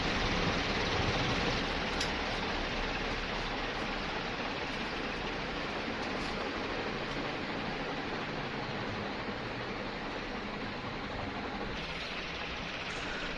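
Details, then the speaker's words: Newly installed Sanex FC56 ceiling fan at speed 3, its top setting, very strong and described as sounding like a helicopter. A loud, even rush of air with no wobble, knock or scraping; normal. "Yang ini speed 3. Kenceng banget ya ini. Suaranya juga kayak suara helikopter gitu."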